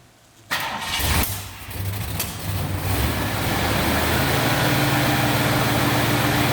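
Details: 1970 Mercury Cougar after repairing a broken engine wiring harness, key start: short crank, fires and briefly stumbles, then settles to smooth steady idle; normal start and idle.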